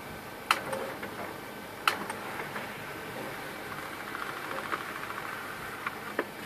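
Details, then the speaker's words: HP LaserJet P1102 laser printer after a gear box repair of a loud grinding noise: soft whir, light clicks and ticks, no grinding; normal operation. "Printer is OK and working fine, there is no noise now."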